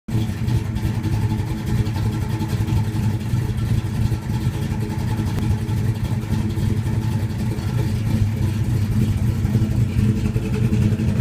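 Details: 1972 Plymouth Duster, 440 six-pack bored .030 over, big high-energy comp cam, 1.6 rockers, six-pack carbs (1350 CFM), 727 transmission, 3000 stall converter: a deep, loping V8 idle with an uneven chop that never settles; rough idle.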